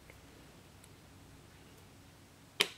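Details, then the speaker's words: Warn XD9000 winch during rebuild, cleaned solenoid bench-tested with multimeter: one crisp, sharp click as power is applied, then quiet; meter reads zero resistance, so the solenoid is good. "we'll click it you should be able to hear this click here that click and as we see on 0 so this solenoid is good"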